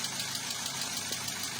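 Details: Toyota Avanza K3 engine at idle, recently rebuilt: quick light even tappet ticking from improper valve clearance that owner dislikes; fix planned is valve setting and valve seal replacement; water pump also leaking.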